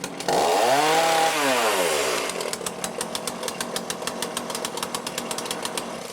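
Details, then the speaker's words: Cheap lockdown chainsaw with Walbro carb, after carb rebuild and high/low screw adjustment: fires and revs up cleanly, then settles into a steady popping idle around four beats a second; starts easily, cuts well, running normally. "there you go she starts up easy cuts really well"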